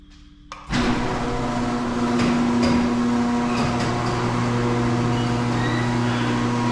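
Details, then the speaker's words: Owner's garage door, opener opening it before any service: steady motor hum with sharp squeaks and ticks as the door travels; dry rollers and hinges needing lubrication. "And I'm not sure how good the audio quality is going to be, but I'm just going to try and let you guys listen out to how squeaky this thing is before I've serviced it."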